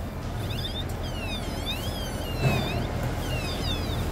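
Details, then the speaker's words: 2020 Toyota Hilux 2.8 at service: high chirpy squeak sliding up and down in pitch over a low engine rumble from a dry component, to be fixed with lubrication. "agora vai passar vamos passar ali o lubrificação ali tirar esse barulhinho aí fica show"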